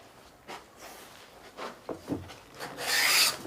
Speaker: all right that's give me a nice nice shaving but I can hear some of you oh yeah but I bet you it took a while to set up